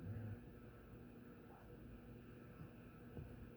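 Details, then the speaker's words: Vintage SMC (Shell Manufacturing Co) 36F industrial 36-inch cast-iron-motor ceiling fan on a capacitor test rig, audible only up close; faint steady hum, no rubbing, clicking or wobble, rated bedroom quiet. Normal running. "I gotta go right up to it to even hear it. I mean, I can hear it a little bit, but it's."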